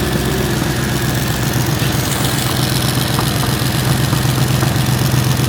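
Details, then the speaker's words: Mercedes-Benz at idle while someone runs it: a steady low idle with a faint quick ticking about two to three times a second, located by ear. Small exhaust leak; a hanging part that looks to be missing a nut was also found. "all right before we finish I have a little exhaust leak so we're going to try to figure it out"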